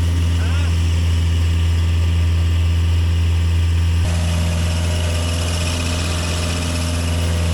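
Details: Sky Trak telehandler diesel, started cold outside: steady even low thrum about four beats a second, no misses or knocks, idling down; belts may need dressing or tightening. Normal running.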